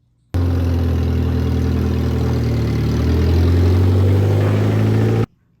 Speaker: You hear that sound? Pretty sure that's rod knock.